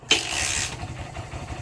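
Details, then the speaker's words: Barako 175 single-cylinder motorcycle, cold engine, after carb tuning, float valve seat, valve clearance, camshaft decompression adjustment, new spark plug cap, extended HT wire: sharp catch on one click, steady light idle; normal cold start. "Hindi na siya mahirap paandarin. Yun one click kahit ma lamig ang makina"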